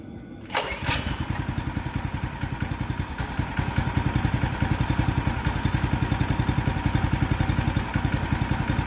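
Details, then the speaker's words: New 212cc Predator engine repowering a homemade log splitter (replacing a 5hp Tecumseh), cold, on choke, about a quarter tank: a short pull catches, then a steady single-cylinder putter at fast idle. Normal cold start. "we turn the choke on it may want some choke because it's still cold"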